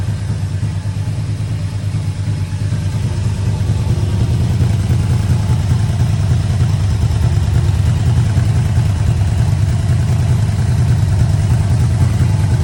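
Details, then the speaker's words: 1985 Yamaha Vmax V4 after carburettor rebuild, coils, leads, plugs, boots, first start, no air filter: low deep even burble at about 850 rpm, no chuffing or stumbles; normal idle. "this bike always loved idling about 850 revs just used to sit there mopping over just like now"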